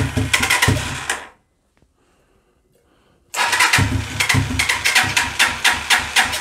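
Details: 125cc Sinnis Heist hardtail chopper being rescued, first start attempts with fuel on, on stand; repeated cranking bursts with brief uneven firing that dies, no idle; hard starting, float height later adjusted.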